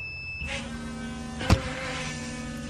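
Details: Datsun 280Z fuel pump powered directly with the suspected relay bypassed, key on: a steady, high electric hum switches on, holds evenly for about two seconds, then cuts off; fuel pump works normally.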